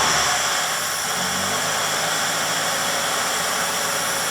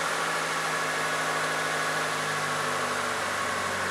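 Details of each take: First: 1998 Mitsubishi Colt, over 120,000 miles, running just after throttle body cleaning: settles into a steady run with a slightly uneven pulse and a tone change midway; rough from cleaner and loosened carbon in the intake, expected to smooth out. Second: 1998 Mitsubishi Colt, over 120,000 miles, after throttle body cleaning: even steady idle, no hunting or stumbling, smooth settled hum; idle now stable, throttle pedal no longer sticky.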